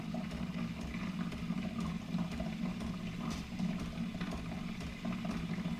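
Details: Keurig Rivo R500 milk frother during first-use priming cycle: steady low hum with soft even gurgling water, no knocks or rattles; normal frother priming.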